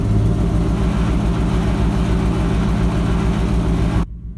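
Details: Ford F-250 with 7.5L 460 big block V8, after replacing the starter bypass solenoid for a no-crank no-start: fires and runs with a deep, fairly even lope for four seconds, then shuts off; starter engages fine.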